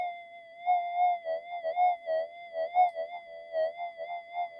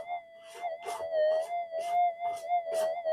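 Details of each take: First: Custom-modified Minelab GPX-5000 without variable gain: a steady threshold tone with soft warbles. It shows low background chatter, a little noise but less than the other detector. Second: Standard, unmodified Minelab GPX-5000 metal detector in normal mode, factory default settings: steady mid-pitched hum broken by frequent crackly chirps, threshold chatter from electrical interference.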